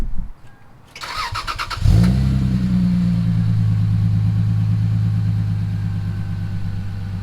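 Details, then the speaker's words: Lexus IS300 with GReddy Supreme SP catback (cat emptied), stock headers and cats: short crank, then deep steady throaty idle drone, no ticks or rattles; healthy running. "Grady Supreme catback is exhaust with uh basically no cat they just emptied it out but we still have the stock headers with the stock cats in them"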